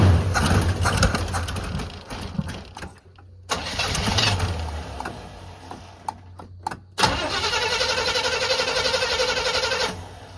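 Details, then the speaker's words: 1985 Chevy C20 square body truck that sat outside over 10 years: starter cranks in several long bursts with short pauses but the engine never catches; cranks, no start. Owner suspects out of fuel or flooded, not confirmed. "Well, it cranked, so I think either I'm out of fuel, because I ain't pouring enough."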